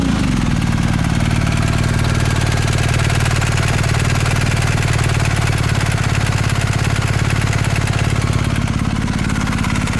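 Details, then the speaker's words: Used 2019 BMW R1250 GS with about 3,000 miles, after a dealer check of a tick from the left cylinder head: steady boxer idle with a faint, even metallic tick keeping time with the engine, judged normal valvetrain noise. "you definitely hear it so it has a very slight metallic tick and i can hear it but hey this is what it's supposed to sound like"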